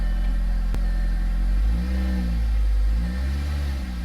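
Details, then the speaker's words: Audi after new spark plugs (likely original, never changed): deep, even engine note rising and settling smoothly through revs, no rumble or misfire; the earlier rumble is gone. "Oh. It's not rumbling. Like at all."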